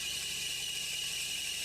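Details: Loud continuous high-pitched belt squeal at idle on a 2006 Nissan Maxima, battery voltage dropping to 11.9 V as the belt slips; first suspected the alternator, finding was a seizing AC compressor, replaced with compressor, expansion valve and condenser.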